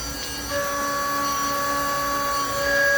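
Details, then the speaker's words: Milling a brass comb in a garage with a possibly dull first end mill: steady high singing cutting tone, even pitch, no chatter or screech; good tool load, feeds and speeds chart working well, clean cut. "Sounds like a pretty good tool load. I think my feeds and speeds chart were good to me on this one. So we're off to a pretty good start."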